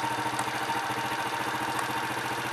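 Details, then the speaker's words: Honda Astrea Impressa motorcycle (Grand/Supra/C100-type engine) hot at about 85 on the temperature reading after repair: even, quick idle with no ticking or rough noise, whereas it was noisy from about 60 before. "Oke 85 mas bro ini belum apa-apa loh tidak apa-apa l tidak ada bengok"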